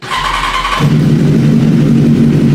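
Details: BMW S1000RR (K46 inline-four) after a 1,200 km ride, before repair: starts and settles into a lumpy, uneven idle with a beat dropping out, tractor-like; dead cylinder from a fried ignition coil pack.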